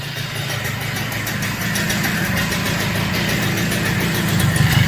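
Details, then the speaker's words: Super XL moped after silencer cleaning (muffler burned out red-hot) and refitting: even, quick putter that picks up smoothly as the throttle opens, no knocks or rattles; normal running, original exhaust sound. "శబ్దం ఎలా ఉందో చూడండి, ఇది అసలైన శబ్దం."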